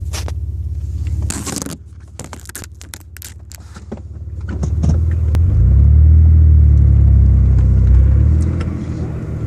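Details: Mitsubishi 3000GT with a weird noise. Deep engine rumble that swells as revs climb, with scattered odd clicks and crackles early on; source can't be pinned down; unidentified engine noise.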